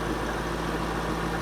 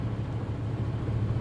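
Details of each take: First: Auction V8 idling briefly: low, steady even idle with no knocks or misses; engine nice and quiet, radiator holding, runs okay; normal idle. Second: Corvette C6 with 216,000 miles, low on fuel, started at auction: low, heavy idle with an uneven pulse of about 220 beats a minute that wavers instead of settling; rough idle, cause unclear.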